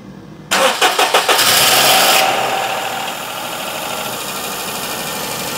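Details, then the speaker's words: 2004 Perodua Kenari, first start after timing belt and water pump work, no accessory belts fitted: brief crank, then a second or two of hydraulic tappet clatter before an even idle, quieter than normal; a normal start. "that sounds very much like it should do usual just a second or two of clatter before the hydraulic tap it far into life sounds a bit weird cuz we haven't got the belt so it's much quieter than normal"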